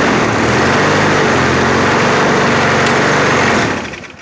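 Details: 2000s MTD-branded Husky push mower with a 4 hp Briggs & Stratton engine, stored about two years, after a cold one-pull start: small single runs a steady, even rapid chatter with no misses until shut off; sounds healthy.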